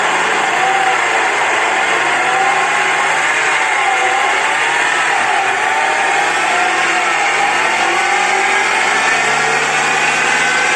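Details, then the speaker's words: BMW X4 F26 at 90,000 km, run on a lift: a continuous rear differential whine from low speed up, rising and falling with wheel speed. Bearing wear was caused by oil starvation from an oil-restricting bushing, and the unit was repaired afterward. "вот надеюсь вы слышали как редуктор будет гул слышно вообще со скорости с нуля"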